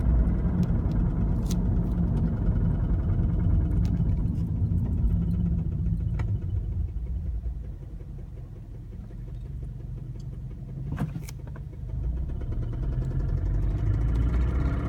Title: FRS knocking noise